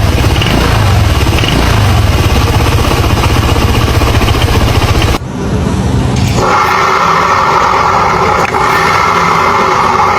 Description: Hearing unusual sounds from the CVT area while accelerating or idling? Don’t ignore it.